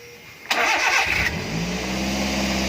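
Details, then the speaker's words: Daihatsu Gran Max, fully warmed engine: starts after short crank and holds a fast, steady idle that won't drop. "Ini mesin udah panas loh. Kalau masih dingin sih wajar lah ya kalau RPM-nya tinggi, tapi ini udah dingin, udah panas, tapi dia masih tetap tinggi."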